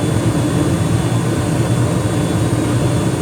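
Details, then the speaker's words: 2021 Carrier gas furnace running after cleanup and filter change: steady, even roar of burner and blower with no rattles, booms or flutter; no evidence of a cracked heat exchanger, running normally. "Looks good so far. And we have fan. I don't see any evidence of a cracked heat exchanger. Things nice and steady."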